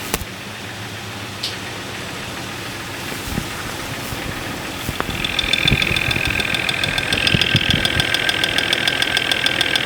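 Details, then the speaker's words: Jeep 4.0L inline-six at idle, multi-channel tester probes at fuel injectors: sharp ticking about three and a half times a second, loudest at number five cylinder; engine knock there, cause not confirmed. "number five cylinder is quite loud we're gonna pull the number five spark plug wire off to take the load off that cylinder and see if that has an impact on noise"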